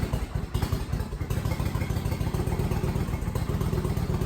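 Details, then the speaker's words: Kawasaki VN900 Vulcan bobber just started after refitting tank and fuel pump, letting oil get round: steady, even low lumpy twin thumping at idle, no knocks or rattles; healthy. "Let a bit of oil get round. Beautiful."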